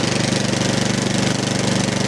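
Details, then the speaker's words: 13-year-old MTD snow blower, Powermore 208cc, just started on full choke after the fuel line was refitted, warming up: a quick, even single-cylinder beat holding a constant speed with no surging, not hunting at all. "I'm gonna let her warm up a bit. Ooh, it's not hunting at all."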